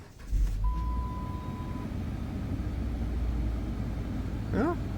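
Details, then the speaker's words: 2009 Chrysler Sebring with a cold-only no-start complaint, started cold outside with the throttle-body lightning-bolt light still on: fires quickly and holds a steady, even idle with no stumbling or knocking; starts fine, no DTCs. "she starts up I think that might be a win let's check it for codes no dtc's"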